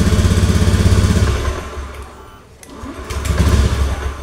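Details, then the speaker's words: Honda Beat FI (digital) scooter, switch suspected: a fast, uneven putter catches for a second, sags away to nothing and picks back up, unable to hold idle, then stalls; intermittent hard starting. "nah dia menyala Pak tuh namun tidak bisa stasioner Pak ya tidak bisa langsam tu Nah mati lagi pak ya"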